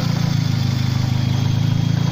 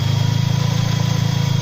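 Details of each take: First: Mercedes SLK 230 Kompressor, M111 engine converted to turbo, idling: fast even clatter sounding like valve train or cam actuator, stops when tensioner pushed; worn hydraulic belt tensioner damper rattle, sorted by replacing tensioner. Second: Mercedes SLK 230 Kompressor, M111 engine converted from supercharger to turbo, at start-up: smooth, even idle with no rattle or tapping, before a hydraulic tensioner damper rattle that mimics a camshaft actuator fault is shown.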